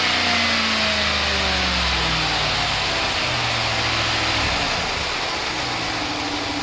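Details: Stock 2015 Ram 1500 5.7L Hemi V8, engine warm, no Hemi tick or lifter failure: even idle with a light, fast injector tick and steady hiss; injector ticking is a normal sound of operation, engine healthy.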